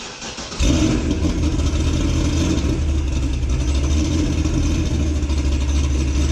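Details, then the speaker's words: 2006 Corvette Z06 V8, cold start before cam and ported heads install: starter catches and fires into a deep, steady, even cold idle with a low rumble; runs clean and healthy. "or we pull the Corvette apart fire it up get a cold start sound clip of before and then we'll do one after we put back together with the new cam in the Portishead's let's go"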